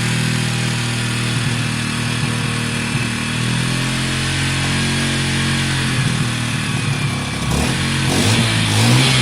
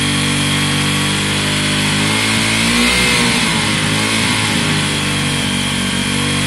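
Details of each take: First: WK RT 125 single, improved running, choke on: even, quick beat at a high choke idle with a short rev near the end, no knocks or rattles; quiet and smooth, running normally. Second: Wk RT 125 single-cylinder motorcycle after long running on choke: busy fast high idle with slight wobble, said to be spitting out the last fuel from the choke; cause of high idle suspected, not confirmed.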